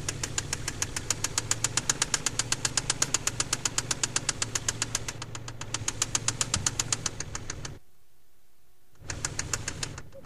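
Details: KLZE V6 idling with a loud, sharp, regular knock about four a second: rod knock from spun crankshaft bearing on cylinder No. 6.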